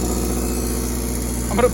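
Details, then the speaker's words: Lexus GS300 with big-turbo 2JZ, started after long storage under car cover: steady even low rumble idle; started right up, sounds good (later drive feels loose, suspected loose rear axles). "oh man she started right up look at that sounds good man"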